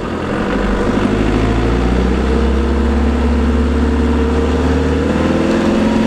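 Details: LT230 transfer case heard with sound proofing fitted: low drone with a thin steady tone rising slowly with speed underneath, consistent with a whining transfer box.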